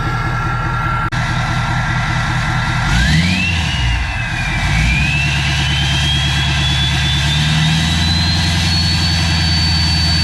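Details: First start of a truck after a new No Limit Fab turbo, S&S DCR conversion and GDP piping kit, near operating temperature: steady, even diesel idle, turbo whistle climbing cleanly on revs and settling, no leaks. Normal idle and rev.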